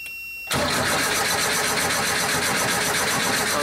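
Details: 47-year-old Porsche 914 with early fuel injection, after injector flow and spray tests passed, while checking computer inputs: steady fast cranking whir, engine never catches; cranks but no start.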